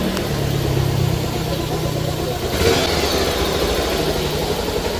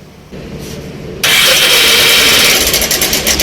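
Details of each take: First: Bajaj Pulsar 180 single-cylinder after replacing timing chain, chain pad, tensioner, engine oil, clutch and head gaskets: idle and blips stay smooth and even, no ticking or chain rattle; engine noise fixed. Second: Bajaj Pulsar 180 cc bike just started: loud, dry metallic clatter over the idle from a worn timing chain; tensioner to be checked and chain replaced.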